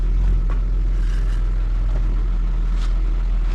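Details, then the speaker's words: Vauxhall Omega 2.5 V6 estate idling after new exhaust system fitted; low soft steady burble with almost nothing up top, smooth and very quiet. "Right then. Oh, it's so very, very quiet now."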